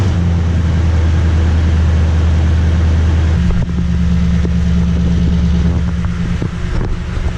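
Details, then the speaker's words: Toyota Tundra V8 on the stock exhaust before a TRD dual exhaust install, run half an hour earlier, mic behind the truck by the exhaust: startup into a deep steady rumble rising cleanly with a couple of blips and settling back; healthy. "I wouldn't say it was a cold start because I did have it running about half an hour ago maybe about half an hour but there's a startup few reps for you"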